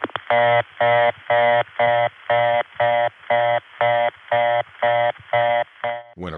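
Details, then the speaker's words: Reorder tone through the Olney, Illinois senderized step-by-step tandem, April 1981: low buzzy tone interrupted about twice a second, sounding rough because two city ringing machines both supply the low tone at once. "tone sounds like this it's because to city rigged machines are both providing the low tone which is being interrupted they've got them both on at the same time"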